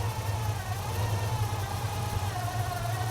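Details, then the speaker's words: Carbureted V8 at idle after setting the idle speed screw, before adjusting the idle air-fuel mixture screws: smooth, steady, deep low rumble with no misses or knocks, a good normal idle. "That's a good idle right there."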